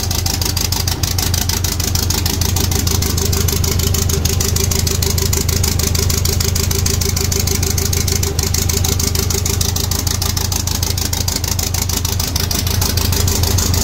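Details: 1.8T 20V Audi A4 B7 on its first run after a big turbo, external wastegate, boost pipes and new coils were fitted: steady, even idle with constant rhythm, no misses, knocks or whistles; normal idle.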